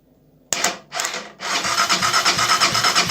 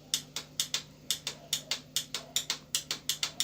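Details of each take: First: Benelli TNT 25 starter motor after disassembly and repair, run by bridging the relay: a couple of short bursts, then a steady high whirring spin with even pulsing. The starter turns freely and sounds healthy. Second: Benelli TNT 25 motorcycle, 2018–2019, about 18,943 km, with the ignition on and the starter pressed: rapid sharp clicking, about four a second, and no cranking at all. The fault is the starter motor, not the starter relay.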